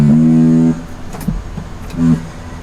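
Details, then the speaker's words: 2008 Ford F-150 4.2 V6 after an ABS control module replacement: short loud buzzing bursts with each brake pedal pump at 2-second intervals during the scan-tool ABS bleed at the left rear bleeder; this is the ABS valve cycling normally until the function completes. "can hear it vibrating every time I hit the pedal. So you're just going to continue to do that until it stops."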